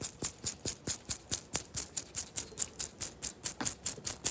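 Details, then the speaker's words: 1973 Dodge Dart Swinger steering column bearing, turned by hand: gritty, crisp ticking about twice a second, easing as it is worked; bearing dirty and dry, to be cleaned and packed with thick grease. "The more I'm playing with it, it must have some dirt in it because it's getting better and better."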